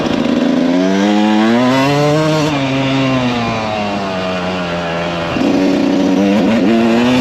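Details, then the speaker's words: Refreshed 1999 Kawasaki KX125 two-stroke, ridden: rising and falling with throttle, clean pitch sweeps and strong pull into the power band, no knocks or rattles. "This thing, whew, it just hits that power band and takes off."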